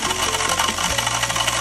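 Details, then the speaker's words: Oil pump removed from a heavily sludged engine and spun on the bench with an electric tool: fast, uneven metallic rattle over the tool's whine. Crankshaft and chain were normal and the strainer slightly clogged; the oil pump is faulty. "你的车问题找到了，就是这个机油泵坏了。"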